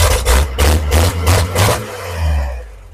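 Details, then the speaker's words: 1950 Chevrolet project truck, chrome air cleaner fitted, before the ignition coil is replaced: several quick throttle blips, then it falls back to a smooth, steady idle with no knocks or misses; normal idle and rev. "she just wants to run"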